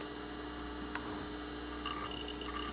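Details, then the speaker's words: Macintosh IIci after recapping its power supply (aluminum and film capacitors replaced), running without a fan: steady low mains hum with irregular chirps and ticks as the hard drive spins up and boots normally. "The power LED is on the front, and I can hear the hard drive churning away."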